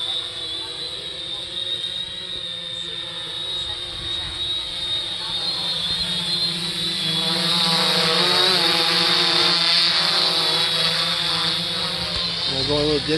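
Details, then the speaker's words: 3DR Solo quadcopter after upgrading OEM motors to Emax MT2216 810KV: smooth, even high-pitched buzz swelling as it climbs and nears, no rough beat; much quieter than the OEM motors, healthy. "here so you notice it's gotten quieter much quieter than the ome motors I'm pretty impressed with these"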